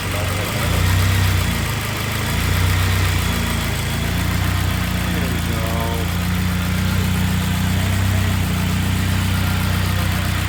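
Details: Turbo K24-swapped BMW E36 after head gasket repair, restarted after reconnecting the fuel pressure regulator vacuum hose: idle starts uneven and lumpy, then steadies to an even beat as rich running leans out.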